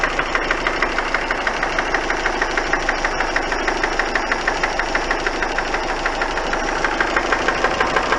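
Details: Hard, even engine knock about three times a second riding over the idle, never letting up; cause not identified.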